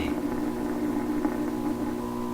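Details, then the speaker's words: 1928 RCA Victor Model 28V radio after new capacitors, during balance and alignment: constant low droning hum from the speaker, seemingly modulating, with faint crackle; cause not evident. "so the hum I'm hearing they can very clear hum coming out of speakers and I it sounds to me like it's modulating"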